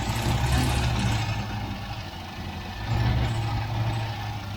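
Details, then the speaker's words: 1967 MGB Mk1 engine at idle with brake cleaner sprayed on the intake manifold flange: idle speed swells sharply twice, then settles, revealing a vacuum leak at the intake manifold gasket. "I'll try this flange. Whoa! That's a massive engine speed pickup. I don't know if you can hear that, but there's definitely a leak down there."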